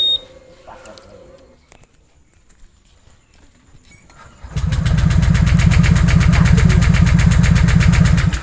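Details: Honda PCX150 that cranks but will not start: after a quiet pause the starter spins the engine in an even, quick churn that never fires. The customer suspected the fuel pump, but the cause was stuck piston rings.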